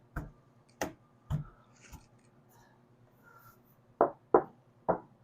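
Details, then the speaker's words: 1976 Mercury Monarch dash pad after adding sound deadener and contact ribs, tapped before refitting to chase a dash rattle. Seven dull, short thuds that die out at once with no buzz. Pad is solid, nothing loose. "Now this pad, it doesn't rattle. There's nothing loose on it."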